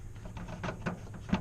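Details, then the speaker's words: 10th-gen Honda Civic Si with the door panel off and aftermarket speakers fitted: light taps on the door bring a faint buzzy rattle after each knock. Owner suspects the speaker wiring he installed, possibly also something in the door mechanism. "it looks like yeah so the wire harness that I installed um the wiring that I installed sounds like it's a H"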